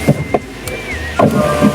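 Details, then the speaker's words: Chery Arrizo 8, about 2 years and 30,000 km, window after greasing the regulator cable and refitting: motor hums smoothly through travel with only light start/stop clicks, creaking gone; normal operation after repair. "好，我们再来试一下，看它的效果。这个已经没有声音了，看到没？"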